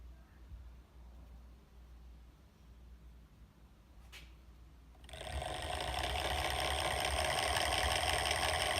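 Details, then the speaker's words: Evolve One electric skateboard, original motor that failed after a couple of months of riding, before replacement: it spins up to a harsh, gritty whir with steady pulsing roughness. The motor is grinding internally. "that is not what it's supposed to sound like so it is grinding on something"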